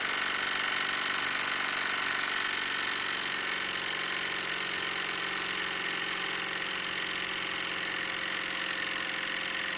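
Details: Wilesco D-18 tabletop steam engine running outdoors after building pressure, throttle turned down: light, quick, even chuff with a hissy top, steady throughout; normal smooth running.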